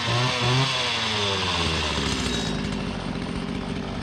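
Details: Stihl FS80R/FS85 bike-handle two-stroke trimmer after crankcase repair: both crank seals replaced, short block resealed and vacuum/pressure tested, carburetor refitted with impulse gasket; test run revs then settles into a steady, even high-pitched buzz, running cleanly.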